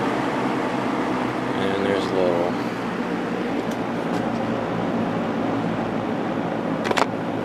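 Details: Lakewood P223 first-generation fan with Westinghouse motor, after cleaning and oiling, blade and grills washed and refitted, run on high: steady whoosh of air with low even motor hum, no ticking or rubbing; normal running.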